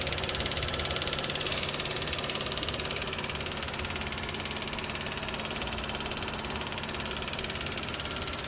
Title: 2011 lexus IS250c engine ticking noise- normal